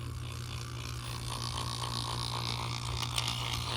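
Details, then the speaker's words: Old boiler vent fan motor, about 20 years in service, with shot bearing, after adding motor oil: steady hum with faint rough hissy whirr building; bearing noise returning, more oil possibly needed. "I wonder if this thing will just, maybe it's gonna, it's making a bit of noise now. Maybe it needs a bit more."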